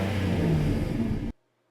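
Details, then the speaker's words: 2015 Mazda CX-9 exhaust with rust holes in the rear Y pipe behind the mufflers: loud, deep, rough rumble under revving from the exhaust leak, before replacing the section. "here's a clip of what the exhaust currently sounds like with the holes in the Y"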